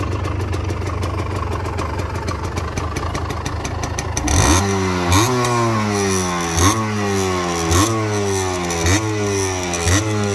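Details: Restored Gilera KK125 two-stroke warming from cold; crisp even idle, then sharp throttle blips climbing and dropping back cleanly. Normal revving.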